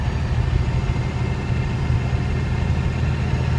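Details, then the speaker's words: FZJ80 Land Cruiser swapped to a Cummins 6BT diesel with NV4500 manual, test drive, heard from inside the cab: fairly quiet, deep even diesel drone with turbo spool, no knocks or rattles, normal running. "So I'm not talking at a really high volume here, so you can tell it's actually fairly quiet. I mean, you definitely hear the diesel engine, and you hear the turbo spool up."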